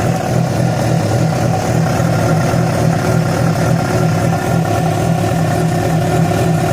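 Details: Yamaha FZ6 with a loud, steady engine drone and an uneven low pulsing throb at idle and under revs; the odd noise began after riding about 70 km on two cylinders due to a failed ignition coil connector; cause not pinned down.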